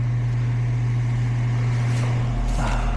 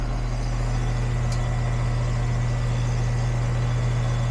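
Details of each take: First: Goodman outdoor AC unit with a no-cooling complaint: a steady low fan hum with no deeper compressor drone underneath, because the compressor isn't running and only the fan is. Low refrigerant was suspected at first, and the capacitor was to be checked. Cause: a loose wire. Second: Goodman AC condenser after repair (capacitor tested good, connection retightened with a new spade connector), reading 77 vs 67, 10 over: steady low hum, constant tone from compressor and fan, no rattles or buzzing; running normally.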